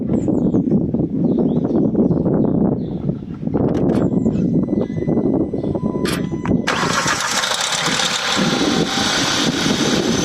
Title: Cold start making noise. Hyundai i20 1.0 TGDI 101 PS. Any idea?